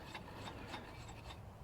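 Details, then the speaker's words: Infiniti car, engine off, serpentine belt removed, investigating grinding roar traced to A/C compressor bearing: first pulley spun by hand gives short soft whir, no grinding or roughness; healthy pulley bearing. "So, first thing I want to do is spin this. That a That sounds fine."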